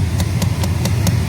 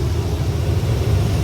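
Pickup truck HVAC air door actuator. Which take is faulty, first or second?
first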